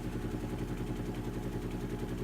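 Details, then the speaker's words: Vintage Western Electric fan, gearcase still running in, slowed through its speed settings. Low, steady motor hum with a quick rhythmic wobble. Fan is badly out of balance; owner hopes the shaking is just the blades. "hopefully the shaking is just the blades and that'll be a fix of all this yeah it's pretty out of balance"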